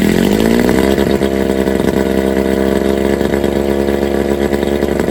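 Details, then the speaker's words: 1987 Johnson 9.9 long-shaft two-stroke outboard, cold start on muffs with choke: catches, revs briefly, settles into steady buzzing idle with slight hunt; running healthy. "but otherwise I think I got myself a kicker motor Oh folks it's a good day I got a motor that Ryan's to go"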